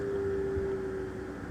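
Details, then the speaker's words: Newly installed Rinnai RUC98i tankless water heater, 120 V, hot water tap opened: red light comes on and a clear mid-pitched whir for about a second, then fades as it lights; normal blower startup, water comes out hot. "You see that red light just came on? You can hear it, it's kind of whirring."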